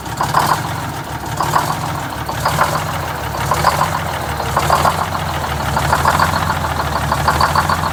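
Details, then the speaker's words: Detroit Diesel 6-71 in a vintage GM 4104 bus at idle during a governor buffer adjustment. Deep idle rumble with a faint lumpy pulse about once a second. Uneven idle needing a governor touch-up. "I'm gonna do a little governor buffer adjustment here just to smooth it out just a little bit"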